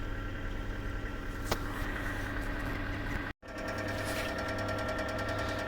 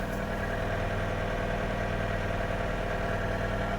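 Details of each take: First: 2004 Kia Rio, 223,000 km, petrol idling: light, fast, even clicking over the hum, occurs cold and warm, vanishes for a while after revving above 3,500 rpm; suspected hydraulic lifter tick, before Suprotec additive treatment. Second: 2004 Kia Rio with 223,000 km idling smoothly and quietly, no lifter ticking heard, after adding Suprotec and driving a few hundred km; hydraulic lifters previously ticked both cold and warm.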